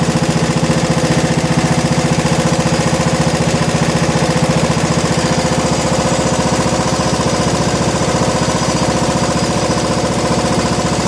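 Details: 1987 John Deere SX75 riding mower, first run after fuel system work on battery charger: steady, very regular putter at constant speed with no misses or surging; runs cleanly on its own, normal running.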